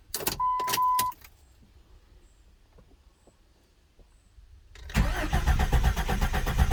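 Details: 1999-2004 Jeep Grand Cherokee 4.0 after head gasket replacement: even rhythmic starter cranking, about four beats a second, no firing. Fuel pump and injector fuses/relay pulled to prime oil before starting.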